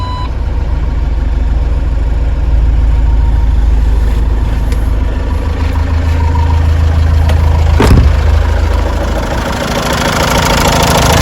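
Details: Ford Transit 2.2 FWD diesel after a full engine rebuild, once fixed by fitting another Ford's ECU, BCM and key with programming and adaptations: it now idles with a steady, even clatter and no knock from cylinder two, a normal idle.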